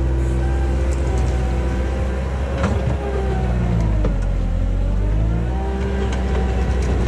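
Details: 1999 Bobcat 864 tracked skid steer traveling and loading after a rebuilt right-side drive motor replaced one that whined and barely moved: even diesel rumble with gentle pitch swings, no knocks or grinding; drive smooth and healthy.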